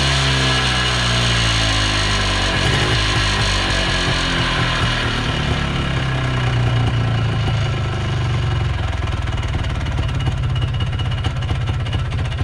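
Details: 1980s Polaris 250cc two-stroke ATV revived after sitting for years, running on fresh premix after tank cleaning, airbox off: buzz rises and falls cleanly with throttle, no stumbling; runs good, carb may need minor tweaking.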